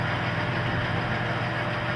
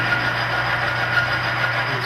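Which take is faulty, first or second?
second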